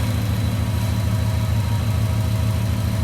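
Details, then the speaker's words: JDM Subaru Impreza, bought as a non-runner, after its heat shield was sorted: smooth, even idle with a steady low beat and no rattle, much quieter than before, sounding like a different car. "now that heat shield's all sorted out it just sounds like a completely different car"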